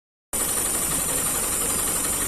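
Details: Hyundai i10 with CNG fitting, low performance: engine idling roughly with an uneven, stumbling beat from a misfiring cylinder; spark plug and plug wire to be checked first.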